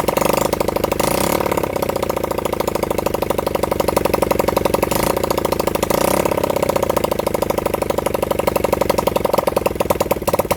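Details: Honda CB100N single-cylinder motorcycle on its first start in over 20 years, fed from a half-flat battery; a pop from it, then an uneven, lumpy idle that stumbles and catches again. Rough running, possibly a gummed carburettor after storage.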